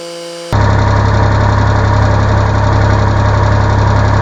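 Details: Mitsubishi K-series diesel (K3E/K2E stated) in a mini excavator, just after a new water pump was fitted. It catches right away and settles into a steady, even, firm low idle, running healthy.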